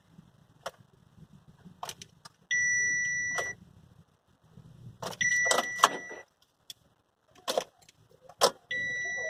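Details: Chevrolet Captiva that won't start: a steady high chime in one-second bursts, three times, amid clicks and handling noise, a warning chime during the no-start.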